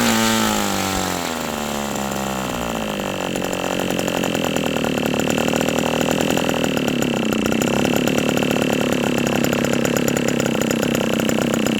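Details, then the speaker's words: OS 120 AX model engine on first break-in runs: high steady scream after a falling sweep, unsettled at lower speed; still breaking in, so the low-speed needle won't set yet. "The engine doesn't really It's still being broken in so it's really not wanting to be set to the low"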